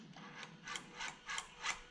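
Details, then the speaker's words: Toyota 1UZ-FE VVTi V8 swapped into a 2005–2015 Hilux/Vigo 4x4: electronic throttle motor cycles at power-up when the ECU is plugged in, quick whirring buzzes about three a second then a sharp snap; normal. "I'm going to plug the main you see you in like so in a box Dan we're going to plug the ECU in plugged in and we can hear the throttle now working"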